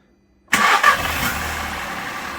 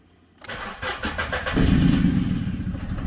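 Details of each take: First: VW Up salvage car, 62k miles, restarted after fitting a new aftermarket inlet manifold to replace the cracked one: starter catches quickly, short rev flare, then smooth even idle with no misses; previously ran lumpy. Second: Salvage-repairable VW Up, 62k miles: engine catches after a brief crank, then runs lumpy and uneven with an irregular low beat; rough running from the damaged inlet manifold, but it does run.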